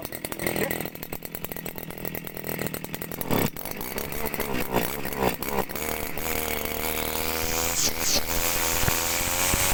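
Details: 55cc two-stroke petrol brush cutter engine for commercial gardening, started with the switch on and set to normal: after a few rough pulls it catches and climbs to a steady high buzz, running evenly and healthy.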